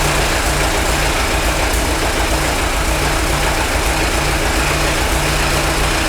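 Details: Worn-out Ford Model T engine on a PTO power unit, run briefly with no coolant: steady old four-cylinder beat about 3.5 pulses a second with loose mechanical clatter; mixture adjusted once warm, smoother but still a little noisy.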